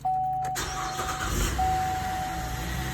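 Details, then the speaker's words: 2012 Chevy Traverse, first start after a timing chain replacement with fresh oil, power steering fluid and coolant added: a brief crank, then it catches at once and settles into a smooth, steady idle with no rattle or chain slap. Normal start and idle. "sounds good so far."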